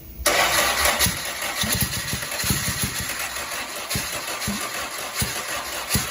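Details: First startup on a test setup of a freshly rebuilt 2270 engine (heads, align bore, rods, balancing) after an oiling problem took out a main bearing: catches quickly and settles into an even idle, no knocks or rattles; great oil pressure, healthy.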